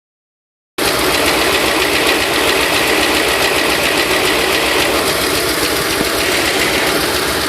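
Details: 302 V8 at idle: steady idle with a light, fast ticking on top, about three to four ticks per second; the source is not pinned down.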